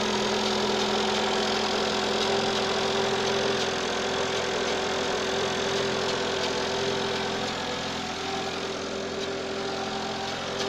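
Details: Citroën AX 1.0 petrol engine idling steadily with a light, busy metallic rattle over the hum, coming from the right side of the engine bay.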